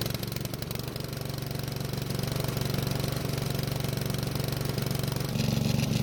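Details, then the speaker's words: Honda walk-behind mower used fine last year: single-cylinder engine chugging unevenly and rich after several pulls to start, black smoke from muffler, also smoking on throttle change; too much fuel suspected, likely old gas. "As you just saw, it took several pulls to get it to start, which is probably the old gas, but we also had a lot of black smoke coming from the muffler."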